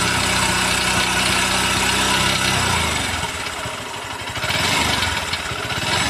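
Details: New Honda CB200X single-cylinder engine near tickover: busy, uneven clatter that loosens after a few seconds; abnormal engine noise, source unclear.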